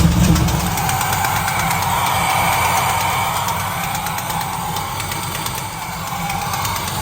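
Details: Turbocharged V8 truck not started in a while, 88°F shop, not a cold start: rough idle with a sharp puffing tick about four times a second, from a remaining exhaust header leak on the driver's side.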